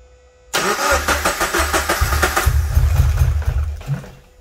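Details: 2013 Scion FR-S after swapping in a used engine, first start after oil priming; a brief starter whir, a clean catch, then an even low idle with no knocks or weird noises: normal start and idle.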